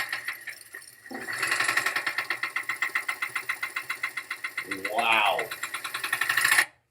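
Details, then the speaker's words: Auction car with engine noise and rpm fluctuation with max A/C, AC compressor suspected near locking: steady heavy knock deep in the engine at about four beats a second over the running engine; severe engine knock. "holy engine knock i wouldn't give him five dollars fifty cents"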